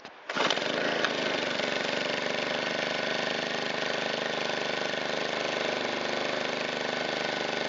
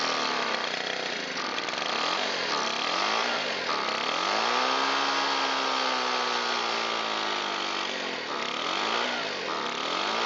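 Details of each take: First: Shindaiwa EB254 Hybrid4 4-stroke handheld blower after cleaned air filter, washed foam filter and new fuel filter, valves not yet adjusted: starts first pull, steady even high-pitched idle with no misses or hunting; runs fine, only fuel tank grommet leaks. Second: Shindaiwa EB254 Hybrid4 four-stroke handheld blower, sat a long time, old fuel filter, throttle locked; buzzy engine hunts, pitch sagging and climbing instead of holding top speed; stiff carburetor diaphragm and pump parts suspected, not confirmed.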